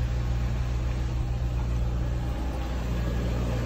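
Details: Audi S4 B5, bought cheap in the UK as a running car, started in neutral: it fires up and settles into a smooth, even, low idle with a steady beat and no knocks or misses. Sounds healthy.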